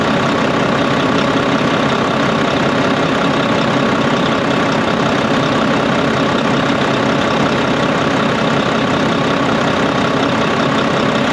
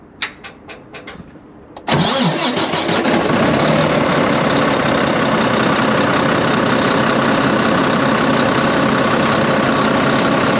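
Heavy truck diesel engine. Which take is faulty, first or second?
second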